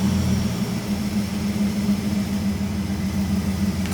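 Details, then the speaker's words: VL Calais Walkinshaw with an injected 304 5L V8 conversion, restarted after its first start: a steady, even low burble with a smooth idle and no misses or knocks. Normal idle. "Anyway, we hit the key, fired right up. Pretty happy with that."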